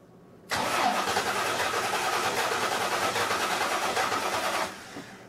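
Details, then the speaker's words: Engine cranking with starter for about four seconds, amp probe relative compression test: uneven beat with one lighter compression stroke; simulated low compression in cylinder number two. "so I'm actually hooked up to the current one that is the problem or the one that's the simulated problem cylinder so we are gonna go ahead and crank it over and that should line up with the cylinder that has the low compression"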